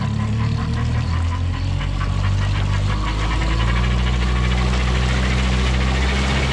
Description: This 2020 Mercury Marine 50 hp 4-stroke EFI, has ~65 hours on it, and has started making this weird noise, it hard to explain.